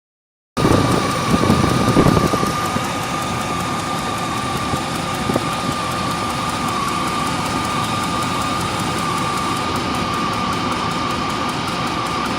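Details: 1998 Range Rover P38 V8 with an ongoing tick and lack of power, running under a loud fan roar; a faint fast tick in time with valve speed, plus a steady tone near 1 kHz; engine ticking, cause unclear.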